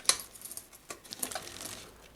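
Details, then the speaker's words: Trek 6500 mountain bike, rear wheel spun by hand: only faint, sparse freehub clicks; the freehub lubricant has dried and gunked up. "another thing I'm noticing right here is when I spin this rear wheel I'm not hearing hardly any clicking out of that freehub"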